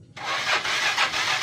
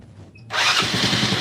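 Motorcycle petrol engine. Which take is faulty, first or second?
first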